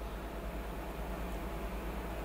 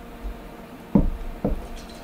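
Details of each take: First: Cooler Master ML240L AIO pump powered up about five minutes after being frozen solid in a freezer. Steady low hum with a soft even whir and no rattle, gurgle or grinding; the pump is running normally. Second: Cooler Master ML240L AIO cooler thawing after being frozen, pump powered from a bench power supply: two short wet gurgles about half a second apart as coolant sloshes inside; pump still frozen solid.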